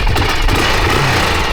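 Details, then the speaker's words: Long-sat, all-original Honda XR600R single, kick-started: fast, steady thumping at idle, even and unbroken with no misses or knocks; it sounds healthy, purring away. "Yeah, it sounds good. Sounds stoked. It's just purring away."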